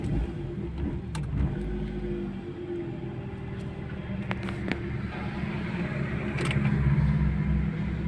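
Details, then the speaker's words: Toyota Corolla 16-valve XE with manual throttle body, idle tuned for gas, now running on gas (CNG): low steady idle around 1000 rpm with no knocks or hunting, idle correct. "तो देखें gas के ऊपर इसका RPM जो है ना तकरीबन 1000 के ऊपर आ गया। तो इस तरह भी आप गैस की सेटिंग कर सकती हैं या पेट्रोल की। अभी देखें गैस के ऊपर इसका आरपीएम बिल्कुल ठीक है, क्योंकि हमने गैस की सेटिंग की हुई है।"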